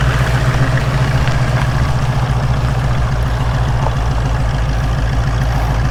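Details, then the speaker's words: 1967 Ford Mustang V8 with carburettor after no-start diagnosis: deep, even burble holding a slightly high idle that never drops; possible vacuum leak or carb needing retightening suspected, unconfirmed. "still find that idle a little high I'll look for some there may be a vacuum leak like the carb might just have to be retightened"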